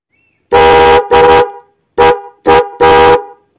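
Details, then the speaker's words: Denso Power Tune Hi-Lo 110 dB horn wired through an MX relay: five loud, clean honks, two long and three short, strong steady buzzy tone; relayed horn sounds full and healthy. "Oke, ini suara yang menggunakan relay."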